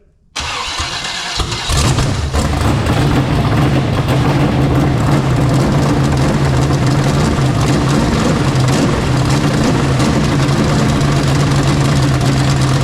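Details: Freshly rebuilt Chevy 350 small-block V8, start after final assembly: brief crank, then it catches at once and settles into a loud, steady, even idle with no misses or knocks, normal start and idle.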